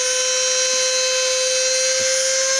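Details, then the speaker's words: Cheap non-brand mini drill: steady high-pitched motor whine. Vibration moves the speed potentiometer, so from medium or lower speed the drill creeps up to maximum on its own. Fixed later with a drilled hole and small nail. "el potenciómetro tiende él solo a ponerse a máxima velocidad entonces para según lo que tengamos que hacer pues es bastante incómodo"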